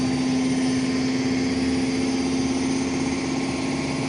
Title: Indesit Mega Unbalanced Final Spin Ramping up 0-1000 (Bad Bearings)